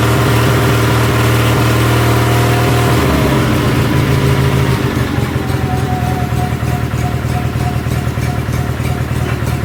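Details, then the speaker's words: 1976 Sears SS18 tractor on fresh battery, spark tester attached: rough uneven idle with stumbles and dropouts, hunting; misfiring, possibly from the tester or a loose front spark plug with suspected stripped threads. "That was pretty easy. It's misfiring quite a bit. Could be because I have that spark tester on there, but I did notice that this front spark plug was loose."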